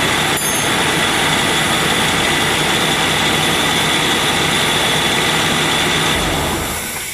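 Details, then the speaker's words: Ford AC after cleaning black death debris and orifice tube, running at about 175 psi high and 20 psi low with ice forming; steady airy hiss of refrigerant flowing freely through the orifice tube, then fading as pressures equalize. "You can see we're forming some ice here. You hear the gas going through there."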